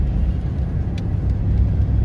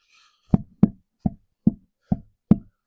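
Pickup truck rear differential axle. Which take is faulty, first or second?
second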